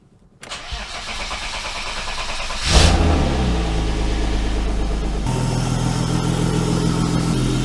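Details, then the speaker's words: BMW E34 with a brand-new S52 swap, different camshafts installed, sat almost 2 months, oil pressure primed before start: brief crank, then it catches cleanly into a smooth, even idle with no misses or knocks; normal start. "I think we're doing okay. Let's see. Let's see if we still got the issue, but I think we're good."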